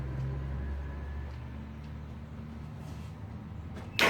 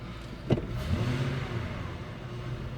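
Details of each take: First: 2000 Ford F150 with code P0301: engine fires and settles into a lumpy idle with a regular stumble about three times a second; cylinder 1 misfiring. Cause unconfirmed, possibly something loose; later ran fine with no misfire. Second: 2000 Ford F150 4.6 V8 with P0301 misfire code, revved under load after wiring was moved and wiggled: deep steady roar climbing evenly with no stumbles; no misfire, something loose likely got fixed by the handling.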